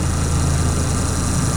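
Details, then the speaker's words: Refrigeration unit for a garbage room, just reassembled and started, the unit shaking heavily: a loud, steady low buzz at constant pitch from the solenoid coil; solenoid coil buzz. "Sounds pretty good. Something's buzzing in here. I don't know how much you guys can hear it, but right now"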